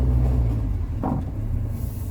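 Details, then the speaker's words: Rover 45 CVT, driven in for a timing belt: a heavy low rumble as the car labours to pull away, with knocking from one side and no clean rise in engine note; gearbox suspected, not confirmed. "it's struggling to pull away and we have a knocking badly from that side"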